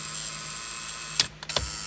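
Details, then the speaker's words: Acura MDX turn signals: a constant high thin buzz from the fuse panel area, a relay vibrating instead of disengaging, broken by a couple of handling clicks; the turn signal relay is faulty. "well this buzzing noise sounds like a relay that's not properly disengaging it's like you know vibrating"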